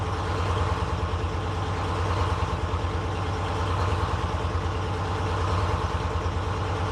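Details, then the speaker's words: 1948 GMC Silversides PD3751 Greyhound bus, Detroit 6-71 diesel after in-frame rebuild, first start after priming the fuel pump and the dry head with fuel: a steady, even idle with a low firm pulse and no knocks or misses. The rebuilt engine sounds healthy. "That's good. So there you have it, guys. I haven't road tested it yet, but I think I would call that a pretty good success for a first start."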